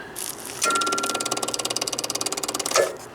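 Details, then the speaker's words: RV generator, start button wired to the kitchen: fast, even clicking, about fourteen per second for two seconds, with no cranking; owner suspects the starter solenoid or a damaged control board, not confirmed. "all it does is click and it's not like a dead battery click it's more like a starter type click or selonoid or something"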